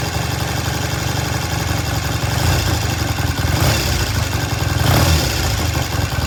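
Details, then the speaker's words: 1973 Triumph T100 twin after restoration, idling: crisp even throttle blips rising and falling cleanly over a steady idle; starts, runs and road-tested well with good throttle, engine healthy (separate oil leak from cases). "okay we finish this bike up before I went on vacation uh as much as we can it starts runs sounds good"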